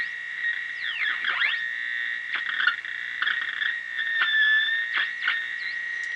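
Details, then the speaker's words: 1933 RCA Model 120 cathedral tube radio with original 1930s electrolytics, brought up to 100 V. Steady high whistle near 2 kHz with swooping squeals, motorboating that differs by band. Poor filtering suspected of making the RF stage oscillate. "so we got it up to 100 volts we've got motor boating at high volume squeaky motor boating so motorboats motor boats differently on different bands"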